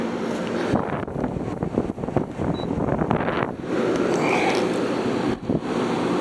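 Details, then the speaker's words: Haier ESA410J-RGB 10,000 BTU window air conditioner, perhaps around 15 years old, on high fan: strong, even rush of air over a steady motor drone at about 1,700 RPM, up from about 1,500 RPM on low; cooling already, running normally. "There's our power output right there. This thing is very strong. pushing just about 1,700 RPM."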